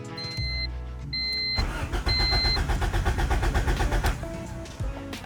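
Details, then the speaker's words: Honda/Acura with Rayspec Dual Main Relay kill switch installed: starter cranks steadily about four beats a second with foot on pedal but engine never fires, as the kill switch cuts the signal to prevent theft. "And now we have the kill switch off as foot's on the pedal."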